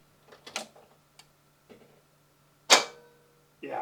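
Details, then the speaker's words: 41-year-old Mercedes-Benz W123 (S123) 300TD turbo diesel estate, cold engine, first start attempt: a few dry clicks and one sharp clunk with no cranking; owner says this starter issue is an ongoing problem. "that's the problem I'm having with the St by the way that was the first try"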